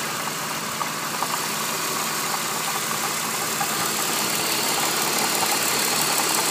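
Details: BMW E46 at idle: fast, uneven metallic rattle over a thin idle, staying constant, confirmed as a defective water pump; water pump bearing noise.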